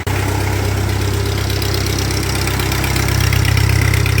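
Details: 1948 Ford 8N tractor idling steadily on startup after cooling system work, stop leak added for a radiator leak, PTO engaged: low, even beat around 140 per minute, no knocks or misses; normal idle.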